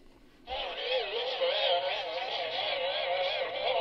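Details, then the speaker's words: 1986 Sanyo MGR61 personal radio cassette player, tape loaded; playback pitch wobbles up and down in uneven warbling flutter, runs slow; perished drive belt slipping under tape load, belt replaced. "so that's basically a sign that the belts have gone if it's kind of working without the load of the cassette in there but it doesn't work when the tape's in there it means the belt's perished it's slipping"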